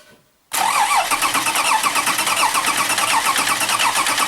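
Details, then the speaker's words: Lexus RX 330 with 3MZ-FE V6, rough running: cranks and catches, then idles unevenly with a lumpy pulse; oscillogram and efficiency test show strong cylinder imbalance, a mechanical problem. "на слух слышно на осциллограмме это выглядит вот так то есть у нас явно проблема с железом явно у нас значит разнобой причем разнобой хороший"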